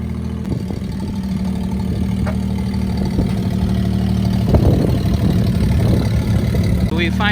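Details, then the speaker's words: Daihatsu Hijet small pickup, three-cylinder, 5-speed, started after sitting 6–7 years in a barn using a full battery. It idles with a low, even putter, steady speed and no misfire or knock: running fine. "got her out of the garage as you can hear she's running fine"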